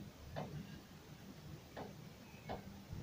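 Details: Renault Duster front suspension, knocking when starting off and stopping: sharp single clicks, about one per second, as the wheel is turned back and forth by hand; a worn tie rod end is suspected and the ball joint is not yet checked.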